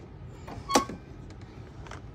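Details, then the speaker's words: Club Car 48-volt golf cart that won't move (V-Glide potentiometer series), forward selected, key on: one crisp solenoid click as the gas pedal goes down. Battery reads 47 V and barely drops, indicating a good connection; solenoid pulling in normally. "All right, when you hit the gas, you hear the signal click. See, all right, and the battery ain't dropping that much, so you know right there you have a good connection."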